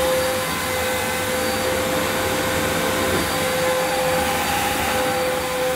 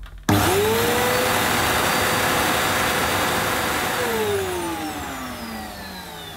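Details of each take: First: Electrolux Cyclonic Lite bagless upright, circa-2005 model new in the box, first run: smooth motor hiss with a high whistle but no brush-roll growl, plus a burning smell; owner suspects the agitator belt needs replacing. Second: Electrolux Cyclonic Lite bagless upright, circa-2005 model new in the box, checked after a weak agitator sound and burning smell: the motor whines up, winds down and restarts; the brushroll rotates strongly, nothing wrong with it.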